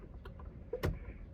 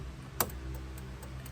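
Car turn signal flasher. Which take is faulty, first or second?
second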